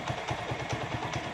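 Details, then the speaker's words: Motorcycle carburetor, idle air-fuel mixture screw being adjusted after starting. A small single idles with a slightly uneven, shaky vibration and faint clatter. The mixture screw is set too tight; it gets backed off until the idle is smooth. "पहले आपने इसको थोड़ा सा टाइट करना है। ये जिधर इसकी आवाज़ बिल्कुल स्मूथ हो जाए उधर इसको छोड़ना है। ये देखें, आवाज़ इसकी थोड़ी सी वाइब्रेट कर"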